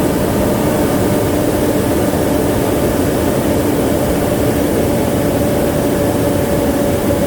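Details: 2016 Nissan NV2500 V6 at idle just after fan clutch replacement: even, steady engine hum with a smooth fan rush over it, no roar, flutter or rattle; normal idle.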